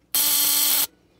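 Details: Model T buzz coil wired to a battery, used for hit-and-miss engines: steady high even buzz under a second as the circuit closes, points vibrating and sparking at the plug; normal coil operation.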